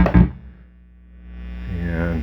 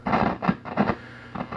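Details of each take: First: Late-1970s Fender Pro Reverb (master-volume version), with a homemade shorting jack in the footswitch socket: a steady amp hum turns into an even, regular pulsing throb; the vibrato works, though reverb is still dead. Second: Late-1970s Fender Pro Reverb, master-volume version: irregular crackly scratches as the control turns, from a dirty master volume pot. It behaves normally with the master turned fully up.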